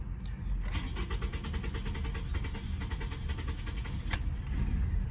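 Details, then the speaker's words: 2007–2011 Toyota Camry with P0171 lean code: steady rapid cranking, then it catches briefly and runs rough, sometimes starting and sometimes cutting right off; fuel pump suspected. Crank then stall. "there's some time the car will start sometimes it won't start will cut right off"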